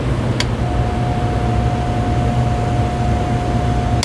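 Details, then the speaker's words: Lakewood DX series fan after nearly 3 hours freeing seized bearings, running again: steady low hum with a faint even tone and no rattle, scrape or wobble. The shaft was earlier suspected slightly misaligned and touching the stator, but after tightening it sounds fine. "Sounds fine to me."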